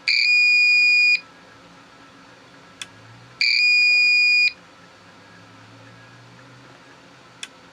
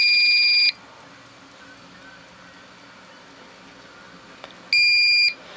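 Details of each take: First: APC Back-UPS 500 with its old battery disconnected, test pressed: two long, steady high-pitched beeps about a second each, a couple of seconds apart; self-test alarm with no battery. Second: Old APC Back-UPS 500 (500 VA) with mains killed, running a small strobe light on battery: two steady high beeps about four seconds apart over quiet room hiss, the on-battery alarm working normally.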